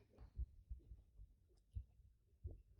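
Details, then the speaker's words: Cub Cadet ZTS2 zero-turn mower deck spindle spun by hand turns almost silently with a few soft low thuds and no grinding; blade and spindle judged fine. "I didn't either that's why that that blade is good that spindle is good good there's nothing no issue with that one"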